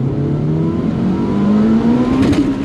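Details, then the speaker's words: Toyota Celica on cheap coilovers, rolling into throttle: engine note climbs steadily, then hardens and sharpens as the high-lift cam profile comes in; normal cam lift crossover. "Did you hear the crossover though? Listen for the crossover. We're just going to roll into it."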